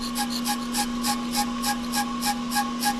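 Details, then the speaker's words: Hubless brake rotor turning on an off-the-car brake lathe after the cutter is zeroed against it, giving a steady ringing tone with a rasping scrape about three times a second; rotor chatter, dampener to be fitted in hope of stopping it. "You hear that noise? That's bad noise. So, we're going to put a dampener on it and hope that goes away."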